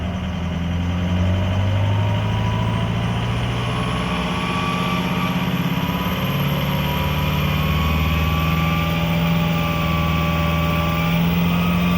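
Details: 2004 Ford F-350 6.0 Powerstroke diesel at full throttle barely gains revs and drones unevenly, low power, running on only four cylinders from a failed FICM (injector driver module).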